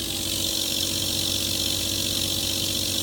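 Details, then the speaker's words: Pump, bypass set to 80 psi, operating near 60-65 psi: constant hiss with fast rough fluttering chatter about three pulses a second as the bypass engages; fix is raising the bypass setting. "Papa noise that you're hearing right now is bypass engagement which can be resolved by increasing the bypass setting of the pump"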